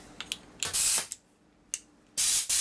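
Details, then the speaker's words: Compressed air through a passage of a cleaned carburetor on a 2001 Gilroy Indian race bike, using a bigger nozzle tip after the passage sounded plugged: short hard, strong hiss bursts; airflow now clear. "Oh yeah, that's got some air through that."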